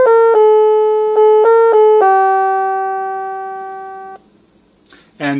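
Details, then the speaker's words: NuTone LBC55 electronic musical door chime after repair (age-related board components rebuilt, voltage regulators): clean, steady tones play the Anniversary Waltz, its longest song, with no distortion or dropouts, unlike the croaking before repair; working properly. "and of course that sounds much more familiar now than what it sounded like as it croaked it out the first time and then finally we'll do the anniversary waltz which is the longest song that it plays"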